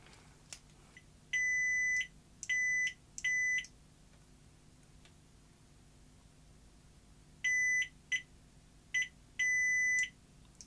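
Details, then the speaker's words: 1977 Philips N1700 VCR, continuity tester on a deck microswitch: clean, high, steady beeps each time the contacts close; switch works, fault is that its actuator is not being pushed properly; continuity tester beep, switch closing normally. "the switch is working fine it's that the actuators not been controlled properly"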